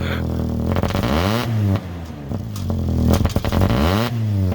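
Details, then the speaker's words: Diesel truck, 146 on it, sat 2 years, primed after a new sending unit, revved cold and blowing black smoke; rough, clattery, lumpy note; rough cold running, owner suspects water in the fuel and says it needs to warm up. "Okay, this thing runs good. It's just there's probably some water in it as well. It just needs to warm up a little bit."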